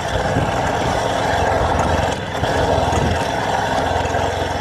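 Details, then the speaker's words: 1971 Motobécane N40 moped, AV7 50cc two-stroke, first start after renovation: raspy, uneven rev note that never settles; original carburetor gasket leaks, admitting air, so it starts but won't hold a ride. "En fait, en gros, ton carbur d'origine, il y a un joint et il fuit. Je me suis dit celui-là il va tenir encore un peu. En vrai, elle a tenu pour démarrer mais du coup pas pour rouler."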